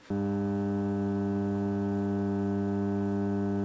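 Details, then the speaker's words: Faulty Onkyo AV receiver at power-up: loud, steady low buzz through the speaker the moment it turns on, never wavering; mains hum. "Okay, it's coming up. Okay, I can already hear some uh hum."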